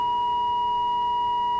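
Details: AWA 509M radio during alignment at 1,500 kilocycles: a clean, steady whistle near 1 kHz as the test tone while the oscillator trimmer is adjusted for maximum; the oscillator was well out of alignment.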